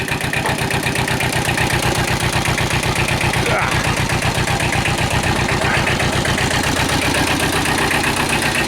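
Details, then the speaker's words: Kubota two-cylinder diesel tractor just after low oil pressure repair and rebuild, still on old oil, before warm-up: even, lopey thump about four beats a second, no knocks or rattles; normal healthy idle. "there we go sounds good it's a two-cylinder so it's got a weird kind of thought to"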